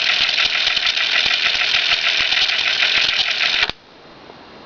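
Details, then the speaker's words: Sony Secutive BM-10 dictation cassette recorder, perhaps circa 1975, left in play for years: steady light ticking about 3.5 times a second over tape hiss in rewind, caused by a dented idler. "there's a flaw that I'm I almost guarantee that you wouldn't notice at all unless I told you but I'm going to give you a guess at it first hear that funny tick tick tick tick tick tick tick tick noise"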